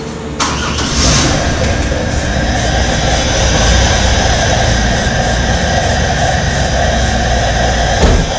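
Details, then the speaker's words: 1997 Camaro 3.8 V6, sat over 10 years: starter spins engine steadily about eight seconds without catching; cranks but no fuel delivery, fuel pump to be replaced. "Well, no, we didn't get no fuel. Okay, they didn't lie to you. We'll put a fuel pump on it."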